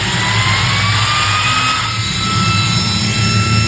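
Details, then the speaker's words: 12V 3.30A DC brushless ball-bearing high-speed fan, restarting after stall protection: steady whir whose pitch ramps up gradually to full speed and holds with a clean even hum, very strong airflow; runs normally. "Hembusan anginnya sendiri sangat-sangat kencang, sudah jamin lah, terjamin kencang sekali."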